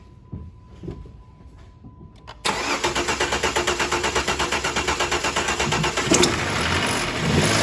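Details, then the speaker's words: 2009 Dodge Charger SE 2.7 in for a no-start, no codes, coughing through the intake, cam sensor removed; engine catches and runs with an uneven pulsing rumble and water dripping underneath; rough running traced to water pump failure causing a timing issue, with water and oil mixed. "All right, as I expected, it sounds like a whole bunch of rumbling going on, so I'm gonna listen to that and try to identify that noise with my stethoscope."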